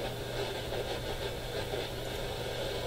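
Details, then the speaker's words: Radio scanned up to 6–10 MHz at home: steady hiss with a low constant buzzing hum and no tuned signal; broadband interference noise, source unknown, smart power meter suspected. "Well, that gives you some idea of the noise profile here when viewed on this radio."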